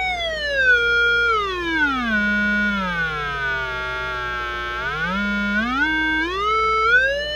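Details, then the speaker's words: Zenith 4-B-231 vintage radio speaker driven via repaired output transformer primary (was open) by audio generator, roughly 60–1000 Hz around 400 Hz: clean pure whistle gliding in pitch, no buzz or rattle; transformer and speaker working. "we're generating a signal about 400 Hertz and again you can see I'm hooked up to the primary side of the transformer that just repaired"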